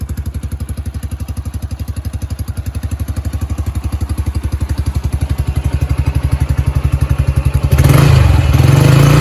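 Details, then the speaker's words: Yamaha YBR 125 single-cylinder started cold after a replacement secondhand part was fitted; even thump at about four beats a second, then a crisp rise in revs; running healthy and spot on. "so as you're saying the bike is running spot on I'm really happy with that"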